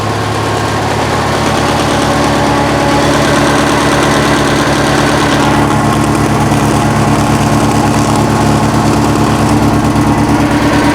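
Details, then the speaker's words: 1966 VW Fastback flat-four, newly installed and running on 6 volts with new exhaust, still set to high idle from break-in; steady even fast idle, smooth low thrum, much quieter; some smoke expected, slight valve tick, valves need adjusting. Normal high idle. "that sounds so so much better going to have to go back and do the valves yeah she's going to smoke a bit it's still set to a high idle from uh me breaking the engine in so that's fine"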